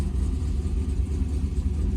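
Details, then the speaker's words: Rebuilt blown-up LS V8 with new tune, cold, running rich at 11.1 AFR, 50 psi oil pressure, 14.2 V: deep steady rumble, even firing, no knock or tick; normal cold idle. "all right it runs 11-1 pretty rich sounded really good"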